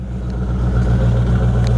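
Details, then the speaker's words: 1993 Mustang Cobra V8 after reconnecting fuel pump wires knocked loose in a crash, air intake tube still off: deep, even rumble with steady firing, idling smoothly and revving cleanly; clutch fan sits close to radiator. "Running under our own [Music] power."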